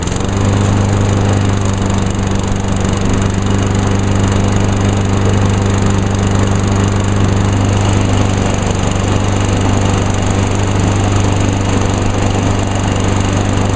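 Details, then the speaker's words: 2010 Craftsman ez2walk self-propelled mower, pull-started because the electric start fails despite a charged battery and swapped fuses (suspected electrical fault); loud, steady low drone at constant speed with no misses or surging. Running normally. "Cool. Actually started not too bad with just pulling on it."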